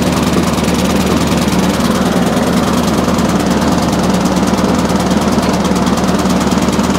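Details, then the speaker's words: Briggs and Stratton single-cylinder push mower after a new spring and new air filter, buzzing at raised speed but ragged, firing never settling; carburetor needs cleaning and possibly a gasket and diaphragm change. "okay so even by me speeding the engine up it didn't make a lot of difference that tells me the carburetor does need looking at"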